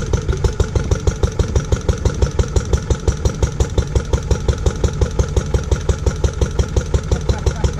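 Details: Restored barn-find Lister D petrol engine, once driving an Aerograph compressor, at its first start in over 20 years. Slow, steady single-cylinder chuff at about three beats a second with no knocks; the engine is sound. It is somewhat jumpy, and the owner suspects it needs a timing adjustment.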